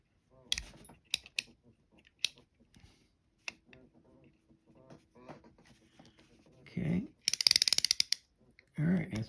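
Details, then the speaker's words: J.C. Higgins Monospool fishing reel reassembled after cleaning and lubrication, handle turned: crisp anti-reverse ratchet clicks and smooth gear whirr, no grinding or catching; normal reel cranking. "And your anti-reverse, you can hear it click."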